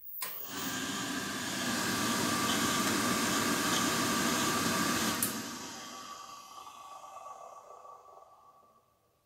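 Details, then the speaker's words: Burner fan motor from a disused boiler, stored in a dusty garage, runs with a harsh, gritty bearing hiss and whine, then coasts down; both worn ball bearings need replacing. "entend clairement qu'il ya un gros bruit de roulement derrière donc il faut changer ça"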